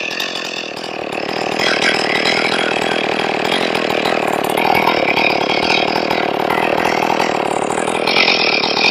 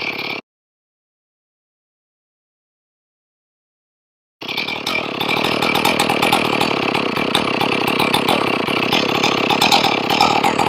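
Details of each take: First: Ported Stihl 461 chainsaw after repair of a blown-out plug, final tune: steady, even two-stroke idle with no surging or dying; normal stable idle. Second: Ported Stihl 461 chainsaw after a blown-out plug repair, warm after a few minutes off: fires and holds an even, buzzy two-stroke idle. The idle is set too low and is being adjusted toward about 2700 rpm.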